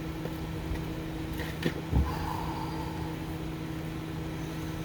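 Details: 2005 Honda Civic DX after rod knock repair with the crankshaft journal polished and reassembled: a steady, smooth idle with a low even hum and no knocking from the bottom end; the engine runs normally.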